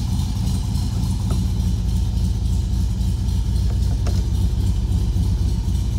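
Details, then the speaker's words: Restored 1964 Volkswagen Beetle air-cooled flat-four, converted to 12 volt, dual exhaust: steady, even low idle with a deep smooth exhaust beat and no knocks or misses; healthy. "Nice tone from the dual exhaust. Hopefully you can hear how strong that motor is."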